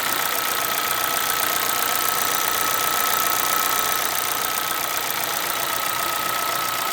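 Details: 2011 Chevrolet Celta VHCE Spirit engine at hissy idle with sharp, fairly even ticking about four a second; owner asks what the mechanical knock is, cause unknown.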